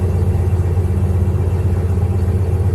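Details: 1995 Jeep Grand Cherokee 5.2 V8 on a below-30-degree morning, previously hard-starting when cold and idling high at 1200 rpm, after throttle body cleaning, Seafoam and idle air control valve work: a steady, even low rumble with no hunting. Power steering pump noisy. Normal idle.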